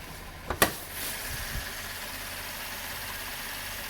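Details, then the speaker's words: 2012 Chevrolet Impala, about 3 months after intake manifold and valve cleaning and fuel injector and harness replacement, catch can fitted, winter: couple of sharp clicks then quiet, even idle with no misfires. "You can hear it now. Smooth as butter."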